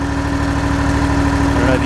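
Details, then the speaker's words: Scag mower with Kawasaki FX691 engine after a charging fault, possibly a dirty terminal, now charging at about 14.2 V: steady even idle with smooth regular beat, no misses, knocks or rattles; normal idle. "all right so as you can see the um the mower is running great it's charging it's staying charged"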